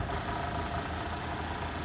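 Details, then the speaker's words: 1955 Westinghouse casement air conditioner, nearly 70 years old, compressor test with casing removed: even, steady low hum with light rattly buzz, no knocking or surging; compressor running normally and cooling. "I'll shoot a quick little video and see what the compressor sounds like if it powers on at all let's see so here's and snacks that's actually high that's low oh my gosh it's working"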